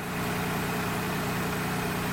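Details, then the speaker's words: 1996 Nissan Maxima 3.0, warm engine at steady even idle, no knocks or squeals, after alternator replacement; charging voltage started at 14.5 V, dropped to 14.25 then 14.11 V after a few minutes, so the new alternator is regulating properly; normal idle. "that's good everything is good okay we went back checked it wait for a few minutes we came back we're down at 1411 it's still going down which mean the all is doing this job"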